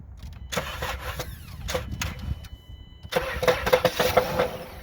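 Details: 2014 Dodge Grand Caravan, previously diagnosed as a bad engine: uneven hollow clucks and knocks at quiet idle from the engine bay, found to be a cracked flywheel/flex plate between engine and transmission.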